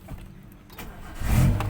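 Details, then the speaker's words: 2000 Suzuki Baleno DX manual sedan, about 211,000 km on the odometer and nearly 21 years old: short crank, then it catches, revs briefly and settles into a steady low idle. A clean, normal start with a slightly sporty "ngeng" note. "Nah, ini lah udah nyala teman-teman. Suaranya, nah suaranya sedikit anak muda teman-teman, ada ngeng-ngengnya."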